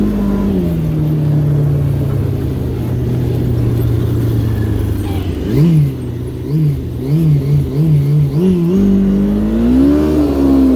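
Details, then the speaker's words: Yamaha RX1 snowmobile after cleaning rusty ignition coils, on test ride: revs sag then stumble in uneven bursts on throttle blips; still misfiring, gummed-up carburetor suspected next. "see if it's done misfiring now still misses"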